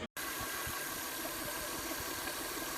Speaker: A hissing sound coming from your engine bay could mean that there's a leak somewhere in your cooling system. This could be the radiator, hoses, or even the water pump.